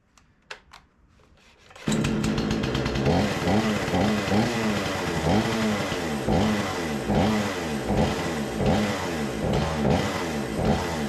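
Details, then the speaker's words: Remington 46cc chainsaw, sat since last season, choke arm seemingly not working, smoky: revs hard but surges and sags unevenly, starving for fuel; owner plans a carburettor clean, fuel lines seem okay; fuel starvation. "decent as I get starving for fuel well what do you say get this back on the bench we'll take this apart check that carburetor and try to get that cleaned up"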